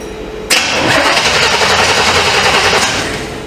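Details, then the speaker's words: 1948 Ford F1 panel truck with 400 small-block Chevrolet and 400 transmission: steady starter churning about three and a half beats a second, no fire despite brand-new ignition module; owner suspects ignition coil; crank no-start. "We ain't got nothing. Huh. Brand new module. I guess ignition coil."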